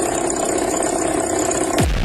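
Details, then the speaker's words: Car running with a steady, high, unchanging whine over the engine, described as a sign of an alternator problem; listed possible causes are a worn bearing, pulley fault, loose belt or internal damage, with the exact cause not confirmed. "መኪና እንደዚህ አይነት ድምጽ ሲወጣ የዲናሞ ወይም ኦልተርኔተር ችግር አለ ማለት ነው።"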